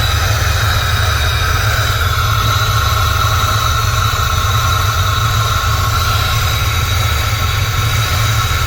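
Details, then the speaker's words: First start of a turbocharged engine after a head gasket job, running on a Terminator X ECU and still warming up. A steady idle sits under a loud, constant hiss and whistle around the turbo. Exhaust is blowing by the turbo, there is a ticking sound, and the wastegate is very loud. "You can hear the exhaust blowing by on the turbo. That's good. That means that it's exhausting the back pressure. Sounds like it's ticking. Wastegate's really loud."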